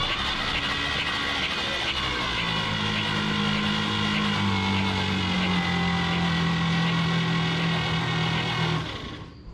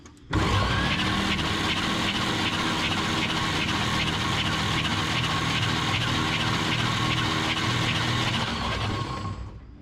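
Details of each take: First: 1951 Chevrolet Advanced Design pickup sitting about 30 years, no spark plugs in: slow, laboured whirring crank about four beats a second with strained motor tone; smoking followed, owner suspects faulty starter rather than weak battery. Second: 1951 Chevrolet Advanced Design pickup after refitting the starter, cranking with battery connected: steady, even whirring crank about nine seconds at constant speed, no grinding or dragging and no smoke; starter turns the engine fine.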